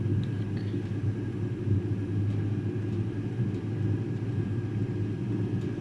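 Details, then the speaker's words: Eberspacher Airtronic diesel air heater sent in by a customer, on its second start: steady low burner roar with even fan hum, brief smoke clearing after start, no surging or popping; runs with no fault evident. "so why did the customer send this unit to us because from what I see here it's starting and it's working so it's a little bit of Mystery"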